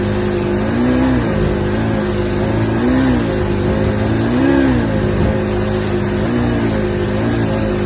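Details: 85 Johnson outboard revving up and down in waves, rise hesitant and uneven at the top; suspected bog or misfire under acceleration.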